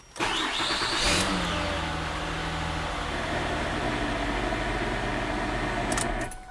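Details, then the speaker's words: 2006 Ford Fusion 3.0 V6 just after timing chain replacement, first start after oil pressure built: catches quickly, revs briefly, then settles into a steady, even idle with no knocks or ticks; runs smooth. "right that was long enough runs smooth I'm going to let it warm up in just a second"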